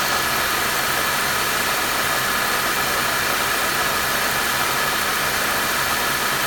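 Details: Mercedes M271 engine at idle: a constant hissing, whirring noise that does not change. The owner first suspected the power steering pump, but the noise was traced to the worn belt tensioner.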